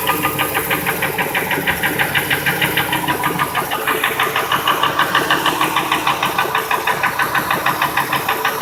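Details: 2002 Ford F-150 5.4L V8 2V (no cam phasers), idle: sharp regular knock about three per second, unchanged when each injector and coil unplugged, drowned out above 1200 rpm; truck runs fine; source unidentified.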